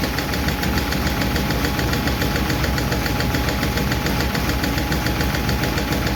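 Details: 1951 Chevy truck engine idling just after starting, with a light, regular valve-lifter tick over it at about three and a half per second; number 4 intake and number 2 exhaust are still noisy, number 2 intake seems okay; owner plans to re-adjust those two.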